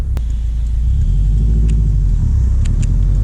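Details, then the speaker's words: Subaru WRX STI, first drive after winter storage on old fuel, manual, driven gently before warm-up and without boost: deep steady boxer rumble under light load with no knocks or rattles; normal running. "oh yeah we're gonna get the car wet but it seems to be running all right"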